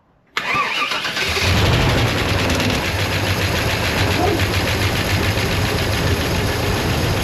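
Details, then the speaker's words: Vortec small block Chevy V8 (nearly stock, small cam) in a Chevelle being revived, freshly fired and burning off old gas: loud idle with a fast rough ticking scrape at fan speed as the cooling fan blades hit the shroud; shroud then fixed. "Ah, the fan is hitting the shroud. Let me shut it off."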